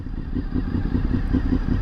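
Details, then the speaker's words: Honda VFR 800 motorcycle with manual choke and no catalytic converter: slow, lumpy, uneven idle pulsing about five times per second; suspected idle speed set slightly too low. "listen to that lump it's actually not idling high enough it needs to come up just a smidge"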